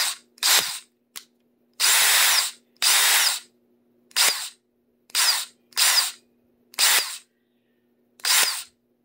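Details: DeWalt cordless drill, bought less than a year ago and little used, gives a harsh, hissing, grinding rasp on short trigger bursts instead of a clean motor whine. The cause is unknown.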